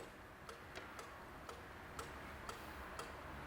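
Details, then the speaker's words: 2002 Renault Master 2.2 dCi, stuck EGR valve now freed with a diagnostic tool: faint, light, uneven clicks about twice a second, weaker than they should be; EGR valve actuator still not right. "it's not clicking as much as it should it sounds very weak click it's still not right"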